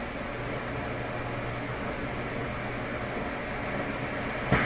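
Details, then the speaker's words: Canadian General Electric JK-66 tube radio during AM dial alignment: steady low hum under hiss that drops out as tuning shifts, an intermittent oscillation with hysteresis; cause suspected, not confirmed. "see right there now see that that I said that's an oscillation of some sort that's kicking it now it's gone or is it gone"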